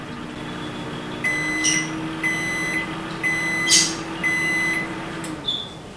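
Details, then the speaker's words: 2019 GE microwave after replacing the sticking transformer power relay on the control board: hum drops out as transformer and magnetron cut at timer zero, then four evenly spaced high beeps about a second apart, light and fan off seconds later; normal cycle end. "so you can see how this microwave killed power to the transform anron First Once the timer hit zero and then if you seconds later it kill power to the light in the fan"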